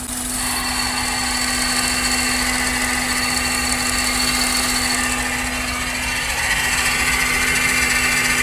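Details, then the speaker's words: Honda Odyssey RB1 pulling off in low gear under throttle: metallic buzz and rattle from the right front of the engine bay, bearing-like, gone at speed with light throttle or in neutral; cause was a completely unsecured loose part. "具体是什么情况呢？啊，起步啊，低档给油，他就响，速度起来点之后啊，轻给油了，哎，不响了，或者是我们切到空档，它也不响。"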